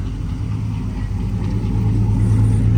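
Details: Silverado with earlier low oil pressure, now about 60 PSI versus 30, valve covers off checking top-end oil: smooth low rumble building slightly with a touch of throttle, no top-end ticking or knocking; sounds healthy.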